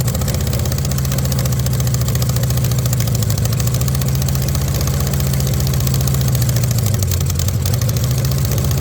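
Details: VW Beetle rat rod, first run after the build with copper shims added: low loping idle with an uneven beat and a small speed dip. It runs a little rough because the carburettors are not yet tuned.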